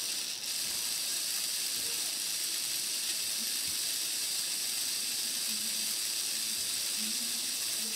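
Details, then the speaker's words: Older Hornby model train motor after servicing the commutator and brushes: even, fast whir with light gear chatter, no stumbling or crackle, and no sparks visible; motor and gears running smoothly. "everything's running nice look you can hear it and you can see it and you can see there's no sparks in there whatsoever"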